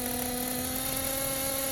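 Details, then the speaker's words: Tekno Blok 21BM nitro RC engine idling steadily with an even high buzzing whine after the needle was reset to its previous setting, having run lean when leaned out; normal idle. "we'll go back to where we had it set before and there the idle sound better it all just sound is better"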